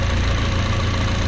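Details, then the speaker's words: VW MK4 1.8T four-cylinder idling after a stage 2 ignition tune-up with 2.0T coil pack conversion: even, steady idle with no misfires or check engine light; background chatter is the throw-out bearing. "Doesn't sound like any misfiring [Music] happening. Don't mind all that chatter you're hearing. It's not run off. It's actually my throw out bearing."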